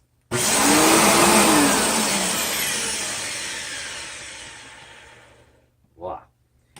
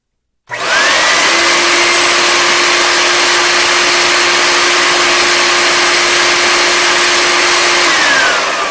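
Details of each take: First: Riccar 8850 vacuum motor switched on with a harsh rough roar and wavering whine winding down over seconds; bad motor bearing that failed suddenly, later fixed by repacking front and rear bearings. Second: Riccar 8850 vacuum motor after a bearing repack, reinstalled, drawing about 10.5 A at no load: a smooth, steady high whine with no rumble, then an even wind-down. The motor runs normally.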